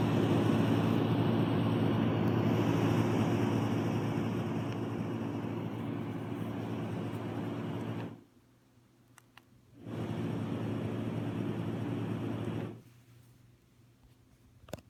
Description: With the lower frequency white noises, there is a buzzing sound that is emitted.